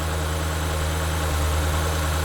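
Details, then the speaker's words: 2009 BMW E70 X5 N62B48 4.8L V8, cold start with the accessory belt removed: steady smooth low idle, no squeak or chirp. Noise confirmed to come from the belt-driven accessories, not the engine. "It's definitely gone. So whatever that noise is, it's coming from the accessories and not the engine."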